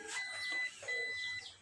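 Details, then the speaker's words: Epson L5290 printer at power-on showing error 034004, customer reports ink possibly hardened: sliding sound inside as if something snags or jams, then two clear high-pitched beeps a short pause apart; error warning. "Dalawang beep. Parang may dumulas sa loob, di ba? Something like parang may sumabit, may nakabara, parang ganun."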